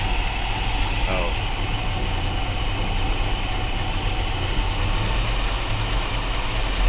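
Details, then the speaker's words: Small-block Chevrolet in panel truck, carburetor idle air screws reset to base settings: deep slow lumpy rumble barely holding about 400 rpm instead of targeted 750; idle too low after mixture screw reset, raised to 650 afterwards. "Because I adjusted those screws, my idle dropped way down. Instead of doing an 1/8 of a turn, because that reset of those idle air screws dropped so much RPM, I'm going to do big chunks."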